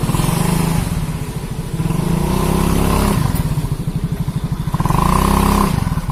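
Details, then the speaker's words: Automatic scooter after CVT repair for weak hill climbing and squeal under heavy load or with passenger, rear wheel spun on test: engine revs and settles in blips, no belt squeal; CVT noise gone. "Sambil kita Rin belakang ya kita Rin belakang itu tidak ada lagi bunyi teman-teman Oke sudah tidak ada lagi bunyinya"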